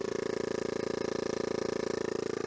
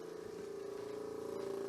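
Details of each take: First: Nissan S12 200SX, vacuum pump with engine vacuum line disconnected, only boost gauge and blocked cruise control connected: even buzzing pulses about four per second build, then cut off cleanly; pump reached vacuum and shut off. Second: Nissan S12 200SX low-compression engine, idling after sitting since yesterday: steady mid-pitched buzz with fast even pulse from the electronic supplementary vacuum pump for cruise control, running continuously without shutting off; cause suspected, not confirmed.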